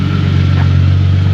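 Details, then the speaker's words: Hyundai Genesis Coupe 3.5L after custom muffler with dual split tips replaced a previous hack job that was super loud; deep, even exhaust drone at idle, no rasp, rattle or blow; normal exhaust note. "I know y'all didn't hear it before but this thing was super [Music] loud it's got a nice little tone to it now"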